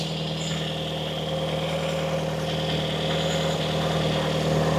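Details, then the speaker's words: 1990 Toyota Corolla 4WD estate, parked 16 years, just started and warming up: even, quiet idle with a faint puffing tick about four times a second from a slight exhaust blow; otherwise healthy, quiet engine. "Just a slight exhaust blow and that is it. That engine is quiet as a"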